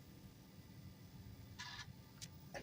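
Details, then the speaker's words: Bell & Howell Apple II Plus clone booting a Ghostbusters floppy after restoration: quiet steady motor hum with short bursts of head-stepping chatter; drive reads and loads normally, so owner suspects the controller card is dead. "heck yeah that's what the sounds I wanted to hear"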